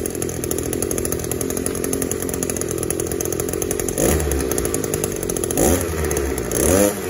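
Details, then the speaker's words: Echo SRM-280S trimmer that would not rev up (spark arrester screen checked good, carburetor seemed okay, new plug fitted), after cleaning out the clogged catalytic converter, warmed a little: steady high buzz climbing cleanly through quick throttle blips without stumble; healthy full rev. "let's see what this thing sounds like after we clean the catalytic converter out and check it out so it's idling a whole lot better already"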